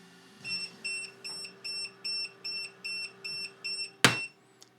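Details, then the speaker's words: Creality Falcon A1 10W enclosed laser engraver, lid lifted mid-engraving on plywood: the machine stops automatically and gives rapid repeating high beeps, about two a second, as a lid-open safety alert. The job can resume afterwards. "one really great safety feature here guys is the fact that when you lift the lid the machine will stop automatically and as you can hear that buzzing it will let you know that this has been opened and you can resume from where it stopped and carry on with the engravement"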